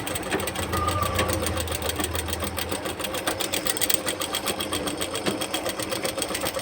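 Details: Treadle sewing machine, after fixing the loud knocking from the foot treadle: light, even ticking about four strokes a second with no heavy knock; runs freely and quietly.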